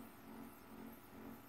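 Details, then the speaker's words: Stepper motor on good THB6064AH driver chip, current tuned to the load: quiet steady low hum with faint even tone, no knocking or stutter; normal smooth running. "doing a very nice job there nice smooth motion and when it's when it's tuned to a power that it needs to be for the load that it's carrying nothing very good"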